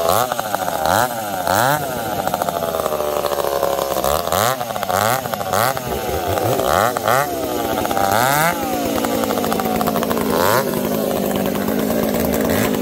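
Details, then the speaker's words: Two chainsaws (366 and 70-series, alongside Ironhorse 371xp) cutting: revs surge and sag with sharp pops and sputters; 366 lean, 70 swinging lean/rich, popping; owners suspect bad fuel, saws wouldn't tune. "here's a clip of us running saws and both struggling you can hear it the 366 is lean the 70s all over the place it's lean it's rich it's popping and farting"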